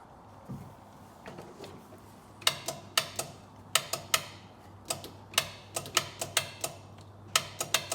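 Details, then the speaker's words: Polaris Ranger 500 4x4 after top-end rebuild, starter stud found loose: sharp irregular clicks in bursts, no cranking; starter solenoid clicking with no power to starter, solenoid suspected bad. "I hear the solenoid clicking. Let me get my test light and see if I'm getting power to the starter. Let's try this again. No power to the starter."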